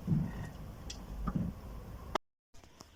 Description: Так же, показываю, какой звук издаёт неисправный опорный подшипник, при повороте руля.